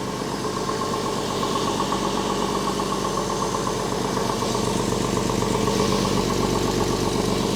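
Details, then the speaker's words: Porsche 996 after an engine-out service with new lifters and an IMS solution, at its first start: it fired right off into a steady, even idle with good oil pressure. Loud raspy exhaust comes from a muffler-bypass pipe off the catalytic converter, with no knocks or misses. "remember this engine does have that Gunn hack exhaust system so that's why this exhaust is so loud it's got that pipe that connects from the catalytic converter to just the outlet so it has like a little bit of a muffler bypass man this thing sounds solid"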